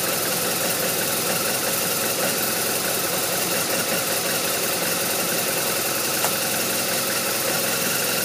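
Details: BMW R1200RT boxer twin idling with an uneven, lumpy beat and scattered irregular ticks; running rough, cause not evident.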